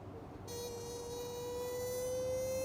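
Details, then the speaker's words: 1985 BMW 635CSI E24 sat 12 years, crank no start, fuel pump relay jumpered pins 30 to 87, heard up front on a windy day: steady electric hum from rear pump rising slightly as pressure builds; pump working normally. "the noise up here was louder than it usually will be it's windy outside but you probably couldn't hear it but the fuel pump all the way in the back of the car"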